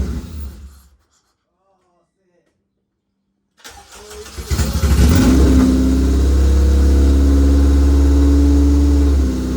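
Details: Honda K24 engine's first start on E85 fuel after a single-DIN radio install: short crank, catches quickly and settles into a loud, steady, even idle with no misses; a clean normal first start.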